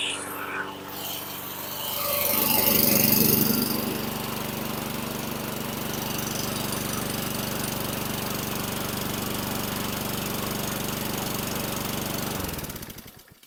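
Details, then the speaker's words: 2017 Husqvarna LC 221RH rear-wheel-drive 21" self-propelled mower with Honda GCV160 160cc gas engine, bought non-running with a dead (possibly aftermarket) recoil starter; after the recoil fix it catches and settles into a steady, even drone without missing before shutting off: normal running. "So that's what it was. Dead recoil is what did it in."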